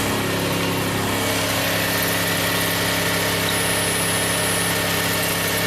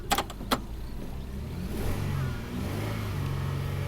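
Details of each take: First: 2000 Toyota Sienna 1MZ V6, 540,446 miles, with a cylinder 5 misfire code (P0305): steady, even smooth idle, no stumbles, no misfire counts; normal. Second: 2000 Toyota Sienna 1MZ V6, 540,446 miles, original drivetrain, P0305, flashing check engine light: low uneven idle with irregular stumble and loping beat, cylinder 5 misfire counter rising.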